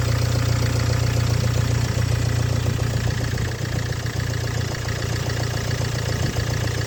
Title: стук на холодную.